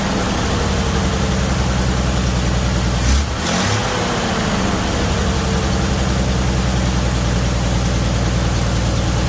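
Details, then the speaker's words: 1978 Chevy Nova started after engine-bay pressure wash; low, slow idle with slightly uneven beat and brief stumble; owner believes idle was turned down due to brake booster diaphragm issue, suspected vacuum leak. "so i just wanted to show you real quick that it does run the idle is not correct i believe that it's been tuned way down on the idol apparently because the issue with the brake booster"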